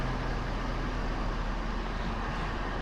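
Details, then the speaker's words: Ford 6.7 Powerstroke High Output diesel, started right after an oil change with a pre-filled filter. Smooth, even low rumble with no ticking or knock while the oil primes, a normal idle. "Let's go ahead, start her up, foot on the brake. Sounds good, no ticking or nothing."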